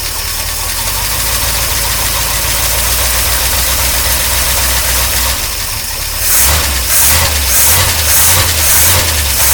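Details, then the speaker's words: 1953 Oldsmobile Rocket Super 88 barn-find V8, after fixing stalling and hesitation and now with the fuel pump pumping. Lumpy, loud idle, then crisp blips that pick up cleanly without stumbling: normal revving. "the exhaust is really loud I'm loving the Clyde it down but the engine sounds really really good all things considered they feel rev up"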